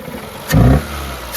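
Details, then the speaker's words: Renault Clio with a head gasket fault, one cylinder disabled and running on three cylinders: a short rev blip sounds coughy and uneven, the exhaust pulse stumbling. Misfire. "Déjà, elle tousse un petit peu avec 3 cylindres."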